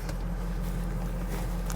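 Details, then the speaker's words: 2005 Ford Excursion 6.0L Powerstroke diesel, 227k miles, built motor with new injectors, ARP head studs, EGR delete, relatively cold start on a hot day, wait-to-start light on; fires right up into a deep steady even idle, no knocks or misses; normal idle. "All right, this is a relatively cold start. I just pulled it out of the garage is all. Still has the wait to start light. Fires right up, as you can see."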